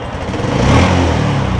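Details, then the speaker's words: X1R 135 motorcycle upgraded with R15 parts, stock exhaust, after a clutch replacement, brake work and general service: steady, even single-cylinder beat with a faint clutch rattle from age, no knocking or ticking; normal running. "ครับแทบไม่ได้ยินเสียงเลยครับมีเสียงคลัทช์เล็กน้อยก็เพราะว่ารถก็หลายปีแต่ว่าวันนี้ทำใหม่หมดเลยครับเครื่องดีครับ"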